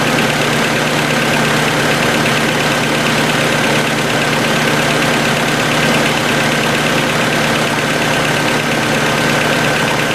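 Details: 1990 Honda CRX DX after ignition coil replacement, aftermarket distributor: steady idle with fast light ticking in time with the engine; owner suspects valves need adjusting, not confirmed.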